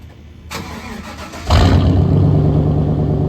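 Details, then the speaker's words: 1994 Chevrolet Silverado V8 with the catalytic converter replaced by a straight pipe: it catches and settles into a deep, booming, unmuffled idle. The failed, rusty cat had broken apart inside, causing bogging and long shifts. "But I'm just gonna turn it on real quick and let you guys hear it. It is fucking loud."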